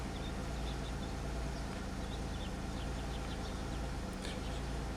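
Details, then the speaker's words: 2003 Pontiac Grand Am after intake gasket job and misfire fix, codes cleared, lifter now quiet: low steady idle settling to idle speed, no knocks or stumbles; misfire data all zeros after cylinder 6 briefly showed misfires. "I think she's trying to come down to idle speed. It's all zeros for the most part."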